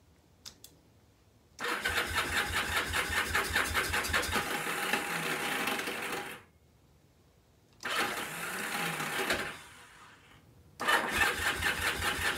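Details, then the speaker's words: Free, long-neglected, rusty Kawasaki KZ750 motorcycle with carb cleaner sprayed into cylinders one and two cranks in even pulses of two or three a second but never catches; owner suspects no spark, and the starter keeps kicking out. "okay well that's something all right well I tried a little carb cleaner you know but no go so that leads me to believe we may not have spark"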